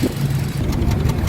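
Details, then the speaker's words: Hyundai Accent petrol engine at idle with check-engine light, strong vibration and codes P0300–P0302: low uneven exhaust thump with stumbling pulses, a cylinder not firing, misfire. "Ayan kung maririnig yung ano tambutso, sobrang ano ah hindi siya hindi maganda yung sabog. Parang ah may kulang na piston na pumuputok at hindi naririnig nian."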